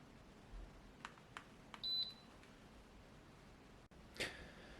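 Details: TEVO SNBHTR 2 kW infrared instant heater under no-power repair: a few quiet switch clicks, then one short high beep on power-on in a quiet room; heater now turns on normally.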